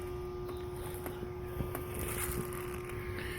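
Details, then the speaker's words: Goodman AC condensing unit, no cooling; compressor hums steadily but fails to start. Capacitor found bulged, 60+5 µF dual run capacitor; failed run capacitor. "all right guys we got us a Goodman here if you take a listen she's trying to turn over"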